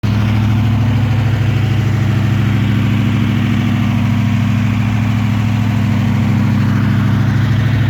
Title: TVR SEAC Wildcat 5.3 misfire